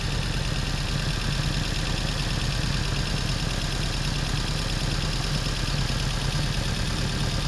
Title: P0300/P0304 Misfire problem solved.